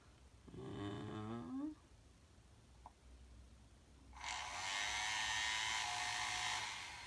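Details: Shark ION Robot RV761 vacuum, replacement suction motor bench-tested on a battery before fitting (old one made a horrible noise): small motor spins up to a high, even whir for about two seconds, no rattle or scrape; normal running.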